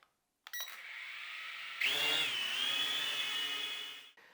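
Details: Ascend Aeronautics ASC-2680 HD video quadcopter drone, motors running with a steady high whine and slight waver, smooth with no rattle; normal operation.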